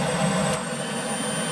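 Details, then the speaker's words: 2009 Chevrolet Malibu 2.4, code P2432, scan tool commands secondary air valve solenoid open: steady loud pump drone eases as flow changes; pump and valve work, pressure sensor concluded bad. "so that means our valve is working so that tests that whole circuit also"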